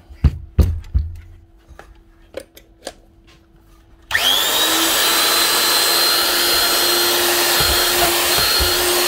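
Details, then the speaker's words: Very old Hitachi quarter-inch router TR8 after a new plug, brushes and bearings spins up quickly to a clean, steady high whine with no rumble; running smoothly and strong. "now nice one one very old Hitachi quarter in router tr8 with a new plug brushes and bearings and she's still running strong"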